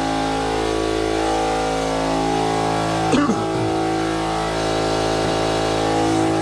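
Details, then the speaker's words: Campbell Hausfeld HL431500 oiled air compressor, about 2008, after replacing piston, rings, connecting rod, air filter and valve plate (previously built only about 20 PSI): loud, steady even pumping hum, no knocks or rattles, now building past 25 PSI. "alright guys so as you can see the compressors running pretty friggin loud but problem-solve is now getting past the 25"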